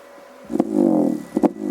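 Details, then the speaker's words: Repaired Alpine Type S 10 D2 subwoofer, fully sealed in a box with no holes, driven by NVX XAD11 amplifier at low volume: a low steady test tone broken by sharp pops on certain tones; sub itself appears damaged. "See, it still has that little pop. And it's sealed completely down in the box there."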